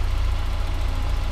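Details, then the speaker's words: Miata after the throttle body was repositioned and the idle air control valve and mass air flow sensor were cleaned: a smooth, steady low idle with an even beat and no hunting, even with lights, fog lights and stereo at max. "I got all the freaking accessories on the lights the fog lights I got my stereo at Max where I usually have it and the idle is just fine and"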